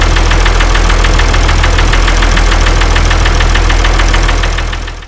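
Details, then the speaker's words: Ford 2704ET diesel in a TR70 combine, first start after a head gasket repair: after a minute or two a steady sharp knock about 220 a minute rides over the idle, a single cylinder knocking, traced to number two by cracking its injector line. "he ran pretty good for I don't know a minute or two and then the number two cylinder developed a knock"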